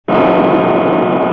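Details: Nissan Qashqai 2.0 CVT: on long trips at higher revs, a thin steady strange whistle over the running engine; owner suspects a possible CVT fault, not confirmed.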